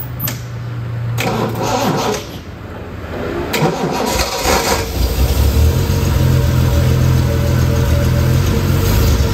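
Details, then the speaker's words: Classic TVR whose weak battery could run the fuel pump but not the starter: brief clicks and a failed crank, then a small Topdon jump pack (still at 75%) spins it strongly and it catches into a steady idle. "this one the battery had enough power to power the fuel pump but not enough to run the starter our battery pack is still at 75 percent"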